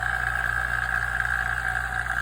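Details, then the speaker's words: Vacuum pump evacuating a Hyundai Tucson AC system after compressor replacement, micron gauge fitted, ballast valve open, target below 500 microns: steady motor hum with an even pumping beat, no rattles. Normal running. "This could take a few hours to get this down to you. Ideally, I'd like to get below 500 microns, but we'll see."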